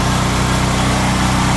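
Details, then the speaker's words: 7,000-watt generator starting and running a 3.5-ton AC condenser fitted with an ICM 870 16A soft start module, which it could not run before; loud, steady, even drone with a fast regular pulse, no bogging or hunting. Normal running under load. "generator didn't make a sound didn't bog down didn't bog down at all"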